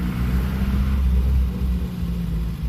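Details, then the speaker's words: 75-year-old Peugeot 202 on a road test after revival, driving through the gears: deep, steady rumble holding even under load with no knocks or misses. Runs pretty smooth; the throwout bearing squeals elsewhere and the brakes are poor. "runs pretty [Music] smooth don't want to run out of gas"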